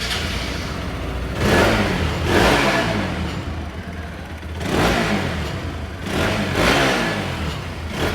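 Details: RS200 after repair of loud head noise (broken camshaft bearing, worn cam, timing chain changed): crisp throttle blips rise and fall smoothly with no ticking or clatter from the head.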